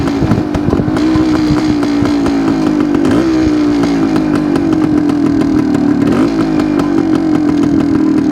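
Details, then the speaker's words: Suzuki TS250 two-stroke with the 170 main jet left in: holds a high buzzing rev but dips and sags every few seconds, still not taking fuel cleanly; fuel delivery problem suspected, owner plans to change the spark plug. "foreign sounds better but it's it's still not taking the fuel I'm I think I'm going to change the plug and try it again"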